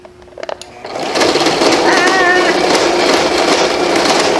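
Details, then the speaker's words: Sewing machine with upper thread deliberately left out of the slotted take-up lever. Runs with a harsh, clattering chatter about four beats a second instead of a smooth hum, and no stitching. Thread jam from the missed take-up lever. "that's what happens when it doesn't hit this take-up lever"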